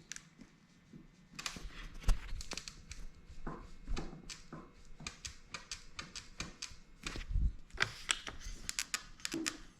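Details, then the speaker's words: Rattle from headset play on a LightCarbon LCE930 e-bike: the lower headset cup is bored slightly oversized for the lower bearing, so the fork moves and flexes; quick dry clacks as the fork is rocked. "But you can hear the rattle already. I mean, and with plenty of other ride footage. Basically, the fork just does not fit well into this headset cup."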